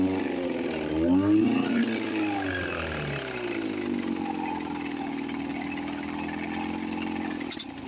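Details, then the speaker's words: 1954 Johnson 5.5 HP outboard running after 60 years, after refitting the magneto and rebuilding the carburetor, on a heavy oil mix with the cover off: settles into a steady, even two-stroke putter after a brief rev; normal idle. "This one sounds really good. I want to put the cover on cuz I always like to hear them run"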